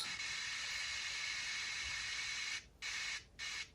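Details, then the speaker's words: Aiwa HS-JX50/JX505 cassette walkman with leakage-corroded PCB: steady tape hiss drops out abruptly several times during playback test; loose contact found, pressing a corner of the board restores sound, corrosion at a component blamed. "okay we have some issue as I can hear yes and that isssue is right over here okay let's try to find that at point of failure"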